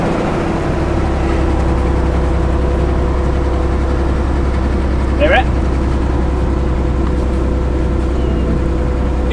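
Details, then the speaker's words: 300bhp garage-find car first running after 14 years parked: low, lumpy idle with uneven exhaust beat and occasional stumble; owners suspect a plug miss or a cylinder down, maybe clearing out after sitting. "that's like a plug Miss though is it I don't is it missing much that's Miss that's that's like a plug that's a cylinder D no I think that's the cylinder down"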